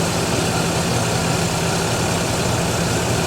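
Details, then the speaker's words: The Bluick, with broken brakes, started after about two months sitting: smooth, even low idle with no misses or knocks as it warms, thermostat not yet open; alternator bearings noisy. "now she's happy so that's good let's see if there's any leaks while it's running"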